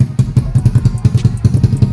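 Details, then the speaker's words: Grom-clone pit bike with new Nibbi 24 carb, warmed up, choke off: uneven low thumping that stumbles and falls flat; runs well with choke for extra fuel, so jets need upsizing. Lean bog off idle. "but what she's wanting to do is fall flat on her face right here you hear that"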